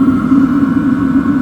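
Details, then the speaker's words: LF Bros 5 kW diesel heater running off a Jackery 500 power station at about 14 °C, drawing roughly 34–35 W, blowing heat; steady hum with smooth blower whoosh, no stumbles, running normally. "I think last time I I ran about 40 Watts when you crank it up it runs a little bit more so yeah it's going it's blowing some heat out"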